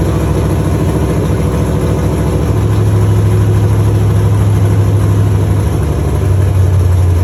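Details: First start of a Chevy truck's cammed 5.3 V8 (Texas Speed 232/234 cam, 110 LSA) after a build and after fixing wiring ground issues: deep loping idle with an uneven chop about three times a second, steady and strong; sounds good and healthy.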